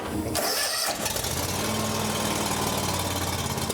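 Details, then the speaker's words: John Deere X350 riding mower, sat for years, started after starting fluid and run on full choke: catches and settles into a slightly uneven, labouring run. Needs choke to keep going and is acting restricted; stale, water-contaminated fuel. "Um, well, that's probably oil there, but I had to run it on choke in order to keep it going. So, that tells me it's acting restricted."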